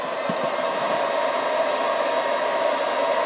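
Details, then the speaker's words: Chinese 24V 41.7A 1000W switching power supply loaded near maximum current, cover on, hot summer: loud steady high-pitched fan whoosh with whine around 600 Hz; fan overdriven at double rated voltage, likely to fail soon. "this one runs much cooler but it also may be because the fan is quite overdriven but of course the fan running at double its rated voltage will probably fail very soon"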